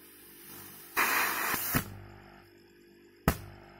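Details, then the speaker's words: Healthy refrigerator compressor plugged in for comparison: steady low hum then a loud hiss of strong discharge pressure, meaning good pumping circulation, unlike the locked unit that only hums. "Ini harus terdengar suara seperti ini, artinya sirkulasi pompa udaranya bagus."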